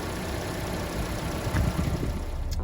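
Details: 2011–2016 Hyundai Elantra idling after alternator replacement: a steady, even low hum with no knock, whine or squeal. The charging voltage is up around 14 V and the battery light is off.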